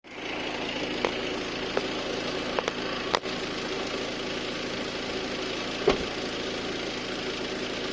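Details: Audi A6 C7 2.0 TDI with S-tronic gearbox, over the last 2,000 km, oil and filter changed 10,000 km ago: sharp, irregular clicks over the diesel idle when selecting R or D and on 3-2 or 2-1 downshifts. Cause unknown.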